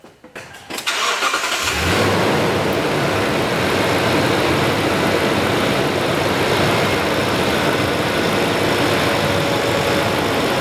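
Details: 2012 Tundra V8 started after PCV valve replacement: quick crank, clean catch, then an even steady idle with no ticking, misfire or hunting. Running healthy.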